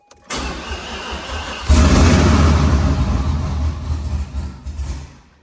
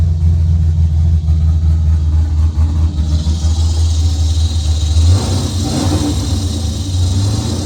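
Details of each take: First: Car reassembled after bellhousing fluid leak: brief crank, then it catches and chugs unevenly, surging and sagging before dying; fuel pump not running because its ground was unconnected, oil pressure building, no leaks. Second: Car reassembled after suspected off-center transmission rear cover, in neutral, no tune: deep, loud, unmuffled rumble holding steady, clean pickup on a throttle blip and settling back. It had only needed some gas pedal to start and is now running healthy.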